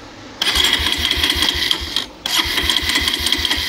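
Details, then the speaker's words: Bajaj Pulsar 220 BS6, about 1.5–2 years old: ignition and in-tank fuel pump work but electric starter cranks in two whirring bursts without firing, no current passing; crank-no-start traced to a cut side stand sensor wire. "Tank లో fuel motor ఏదైతే ఉందో అది కూడా proper గా running అంతా అవుతుంది complete గా అంతా ఓకే బట్ స్టార్ట్ అవుతలేదు"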